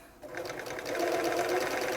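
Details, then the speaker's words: Bernina 930 Record Electronic sewing machine sewing zigzag: even, quick clacking stitch rhythm with smooth motor hum, no knocks; runs healthy, slightly loose top tension, normal clacky noise from the needle stop positioning. "yep that's sounding pretty good there the tension is a bit loose on the top I'll just tighten that up a little bit they are a little bit noisy but clacky clunky these machines"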